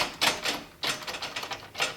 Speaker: A lot of metal on metal. Real noisy. And if you can see in there, these bearings are toast.